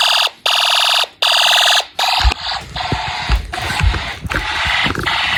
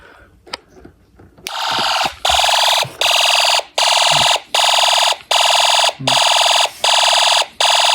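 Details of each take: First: Snap Circuits fire alarm system, test 8, horn set to constant: loud pulsing horn blasts about a second apart, then a busier continuous alarm. The horns work, but both zones now trip together unexpectedly. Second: Homemade Snap Circuits fire alarm system test after panel unsilenced: harsh buzzing horn pulses steadily, about 80 blasts a minute with short clean gaps. Fire alarm horn sounding normally.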